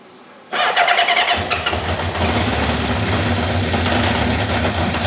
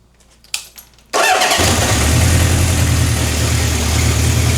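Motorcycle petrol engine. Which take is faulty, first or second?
first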